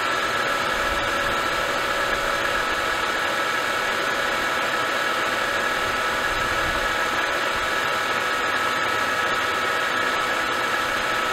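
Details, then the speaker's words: Mercedes-Benz S211 with M272/M273 V6: steady idle with a light, fast diesel-like knock. Attributed to low idle oil pressure from a leaking oil pickup tube O-ring that sucks air; the O-ring is being replaced to cure it. "hopefully we get oil pressure idle to stop the ridiculous knocking sound like a diesel"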